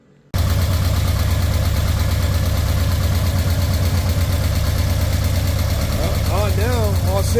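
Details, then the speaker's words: Nissan 240SX four-cylinder after a fuel system rebuild: rusted pump replaced, tank cleaned, new fuel lines and filter, serviced injectors. It starts quickly and settles into a steady, even idle, running on all four cylinders. "there it is and runs on all four cylinders"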